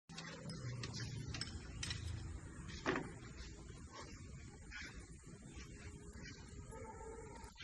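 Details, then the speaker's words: Car engine running just after start, with a noise coming from the engine bay: gritty, uneven mechanical rumble with scattered rattles instead of a clean hum; traced on inspection to the dynamo/alternator. "So இதில் என்ன பிரச்சனை பார்த்தீங்கன்னா, இன்ஜினை start பண்ணாலே கராரான இந்த மாமில் ஒன்னா ஒரு noise வரும் பார்த்தீங்களா, அந்த சவுண்ட் இன்ஜினில் வந்தது."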